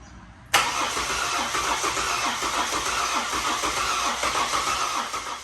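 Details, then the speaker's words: Ford BF XR6 Barra engine freshly swapped into the car, on a weak-sounding battery: steady, even cranking for about five seconds without catching; it cranks but won't fire because the ECU plug is unseated (a MAP sensor was suspected at first). "no luck try again come on baby no no go well it's all in and turning over so now it's just a matter of figuring it out"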